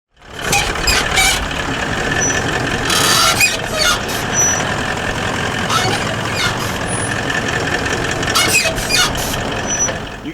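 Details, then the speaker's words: Toyota Landcruiser 200 Series front ARB BP51 shocks, about 100,000 km: sharp high squeaks in short bursts over driving noise as the suspension moves; worn spherical bearings top and bottom, fixed by replacing them. "They making squeaking noises like that? If they're not, they will be over time, and I've got a fix. Stick around. And the reason that you've got that squeak is because of these, and this is what we're chasing."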